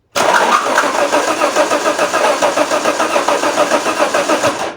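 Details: Alfa Romeo 164 2.0 V6 turbo that cranks but won't start; the starter spins the engine fast with even compression pulses and it never fires. Fuel pressure is being checked, consistent with no fuel pressure.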